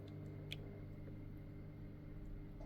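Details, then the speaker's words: Weipro TC-900C 600L/H internal aquarium filter pump running: only a soft, steady low hum. Earlier vibration came from a touching part and stopped when it was moved; the motor itself makes no noise. "But there's no there's no actual noise from the motor as such."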